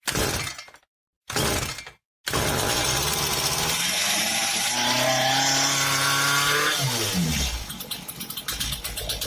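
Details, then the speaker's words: Chainsaw that would not start because it was flooded with gasoline from incorrect starting, restarted with the choke slider in the second position: a few sharp pulls, then it catches, revs climb smoothly and settle to an even idle. "As we can see on this chainsaw there was an overflow of gasoline due to the fact that it was started incorrectly and as we see the chainsaw works perfectly."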